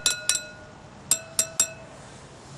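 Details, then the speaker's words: BMW R1100/R1150 motorcycle wheel, spokes tapped with a tool: crisp, matching bell-like rings all around, none dead-sounding; spokes evenly tensioned and none loose, normal. "You want to have the rings sounding very similar to each other all the way around. They don't have to be exactly the same. They just have to have a nice non dead sounding ring to them."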